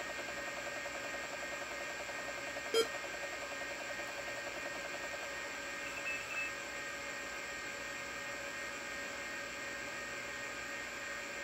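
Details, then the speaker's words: Tandy 1000HD original hard drive after bearing fluid soak repair: steady high-pitched spinning whine with a single seek click at even speed; drive spins up and boots to C normally. "and I can already tell just by the sound of it that had booted to the C Drive because I don't know if you heard it but it it hard drive came up to speed and then it it did a quick seek"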